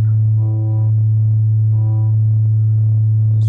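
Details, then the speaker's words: MBL 101 E speaker woofer on a 109 Hz test tone after centring the voice coil with a 3mm Allen socket while playing; steady clean tone without buzzing or vibration; voice coil properly centred. "which is essentially where I don't hear any vibration."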